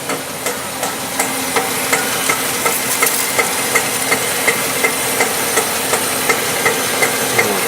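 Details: Honda CR-V with both wheels off, engine running in Drive: sharp regular knocks almost three a second over a quiet hum, with the wheels turning, also present under load; first thought a CV joint, later traced to the automatic transmission differential.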